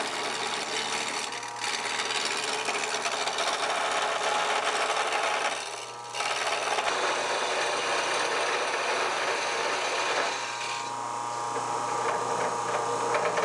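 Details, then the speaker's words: Wood lathe turning a square table-leg blank; chisel rested on the spinning, still-square section to check roundness: scraping with uneven rapid chatter, about four per second, as the tool bounces off each flat spot. "i placed the chisel on top of the thing and you could hear it bouncing and i could feel it bouncing every time it hit a flat spot"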